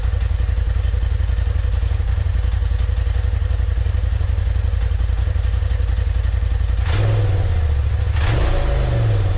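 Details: 2020 Polaris RZR Turbo S Velocity turbo engine on the stock exhaust, before a Trinity Stage 5 slip-on: a steady, even low idle pulse, then two quick clean revs rising and falling smoothly; normal.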